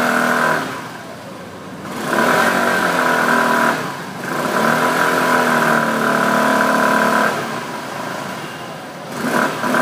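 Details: Access 125 scooter: engine revs rise and fall in waves with a steady mid-pitched hum riding over them; the source of the humming is unclear.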